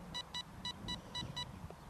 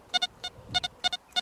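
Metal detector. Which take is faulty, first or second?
second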